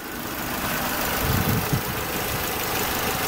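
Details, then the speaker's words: Peugeot 307 SW, 7-seater, 1.6 petrol of 110 hp, idling outdoors in falling snow. A quiet, smooth, even low hum with no knocks or misfires, running calmly and normally. "Csendesen és nyugodtan dolgozik, a 110 lóerős benzinmotor benne, várja az új gazdáját, legyen a tiétek ez a gyönyörű szép 307-es kombi verzióban."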